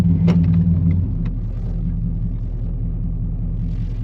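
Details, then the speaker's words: A 1991 GMC Suburban R1500 (swapped engine, Rochester 220 TBI), after setting base idle with the IAC reconnected, holds a deep, even idle of about 550–600 rpm in reverse with no dips. Erratic idle and stalling at stops are solved. "We're holding good at 550 to 6."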